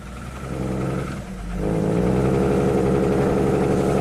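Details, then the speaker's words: 2002 Jeep Grand Cherokee 4.0L inline-six, rebuilt engine, first start after crank no-start, in park, blue smoke, no cam signal: rough, diesel-like uneven note that swells and sags but won't rev freely. "Really doesn't want to rev up. It's definitely in park."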